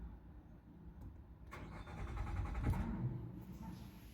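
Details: 2024 Nissan Pathfinder R53 that cranks but will not start, before repair: the starter turns the engine over evenly for about two seconds but it never fires, with no fuel delivered because of a failed fuel pump control module.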